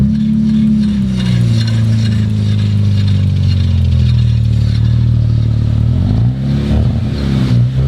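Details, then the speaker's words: Rebuilt 2019 Audi RS5, in drive with the wheels turning: steady engine drone with a smooth, gently wavering pitch, no grinding or clunks; everything running as it should. Normal running in gear. "yeah that sounds good so far everything's looking like it's running how it should"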